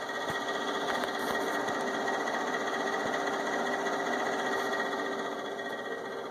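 Steady whirring whine with a fluttery buzz, roughly two or three pulses a second; the inverter fan is running rough and noisy.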